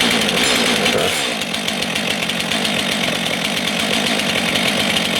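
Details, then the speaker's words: New Stihl MS 462 C-M or MS 661 C-M chainsaw at the start of break-in, chain tension checked: a high, buzzy two-stroke note holding a steady, crisp rasp with no sputter or bog. Normal running. "I echo would have started faster. So people weren't kidding. I would not suggest running the saw without ear protection."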